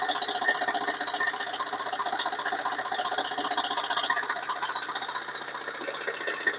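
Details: Chrysler Voyager S2 turbodiesel: light, fairly regular rattle about two and a half beats a second over a quiet diesel idle; source unclear.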